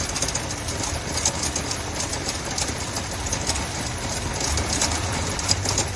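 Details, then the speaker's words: Volkswagen at idle with oil level sensor plugged in: rough, shaking, lumpy misfire that clears when the new sensor is unplugged; suspected short circuit in the sensor wiring, engine ECU may be rechecked; not confirmed. "Zangır zangır tekliyor."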